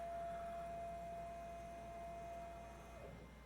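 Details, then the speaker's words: AVID CNC router with proximity sensor kit under Mach 4, X axis jogged to its max soft limit: a steady motor whine that drops away smoothly as the axis decelerates at the soft limit; normal behaviour. "because i could hear it decelerate and stuff so we'll back off a little bit"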